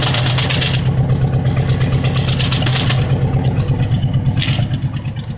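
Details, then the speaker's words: El Camino at idle with a burned exhaust valve: uneven chuffing miss about three times a second. Rough idle, raw gas smell and reduced gas mileage; owner ruled out bad timing and an exhaust leak. "That's a burned exhaust valve, guys. So we're going to be out of commission for a little while, at least for anything major, because I ain't got the money to pull this engine apart right now."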